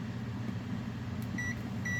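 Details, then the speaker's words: Multimeter continuity test between the earth ground, metal desk and heater, with no voltage measured: over a low room hum, two short high-pitched beeps show they are electrically connected, essentially a short circuit. "as you can hear it's it's electrically connected you hear beeping that's essentially a short circuit short circuit"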